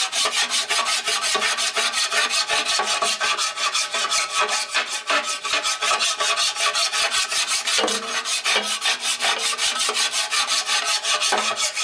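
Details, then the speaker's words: Hand-filing a 12in surface grinder pan: steady rasping about 160 strokes a minute, quiet where flat, louder and harsher over high spots and a proud steel screw head; file cutting high spots. "When you get over here, it's nice and smooth, it's quiet. You get over here and hear it cutting. So it's cutting this area here."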